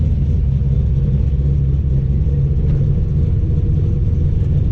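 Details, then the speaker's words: 408 small-block Mopar Challenger with new out-of-box Holley 850 Brawler carb (replacing 750), floats just adjusted, warming up in garage, no load: deep, throaty V8 rumble holding steady, taking throttle cleanly without stumbling, popping or hesitation. "as far as sitting here it doesn't seem to have any hesitation or anything when you Gess it but ain't got no load against it"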